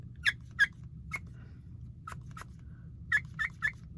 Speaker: If it's in the other direction, the air gets sucked out. You can hear it squeaking when you push air into it.